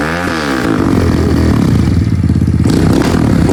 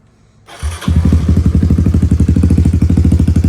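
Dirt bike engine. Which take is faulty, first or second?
first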